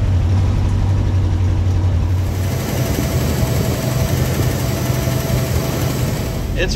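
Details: 1957 Pontiac Star Chief V8, first start after sitting at least 10 years, fed from a drip tank at the fuel filter as the fuel pump seemed not to run: deep, loud, slightly uneven fast idle, blowing mouse nest from the exhaust.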